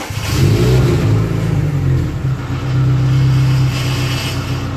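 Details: Budget older car, engine revved: deep, rough blare swelling with revs, puffing and raspy at the back, plus a rattling heat shield; blowing exhaust leak, to be patched with putty.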